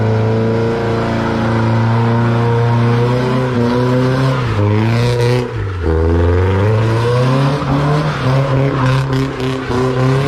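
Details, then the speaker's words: Nissan S14 with SR20 engine after gearbox repair: engine note climbs and drops through the revs under load with no gearbox whine or grinding; transmission quiet, earlier noises gone. "righto guys I'm gonna wrap this mark there we got there in the end it took longer than expected typical but we've got rid of the noises and stuff"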